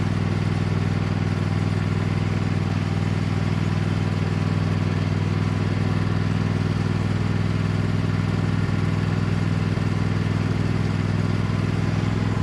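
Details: Cub Cadet lawn tractor, badly neglected, running under load on a test drive after installing an aftermarket knockoff carburetor; small single-cylinder engine pulling steadily, even firing, no surging or stumbling. Runs far better than expected, normal.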